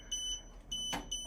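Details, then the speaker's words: Top Mold Vision DVR monitor, camera power and ground wires deliberately shorted: shrill beeps about every 0.6 seconds as the camera short-circuit alarm triggers and the system shuts down all cameras. "this is what happens typically the system to avoid to avoid any type of a short-circuit in the whole system and burned the monitor the DVR you will get this notification there the camera short-circuit"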